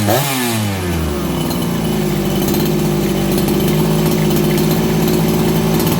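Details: Farmertec 288XP kit chainsaw after fixing sheared flywheel timing key, low jet richened slightly; quick blip drops straight to steady buzzing idle, crisp throttle, settling fast; normal idle.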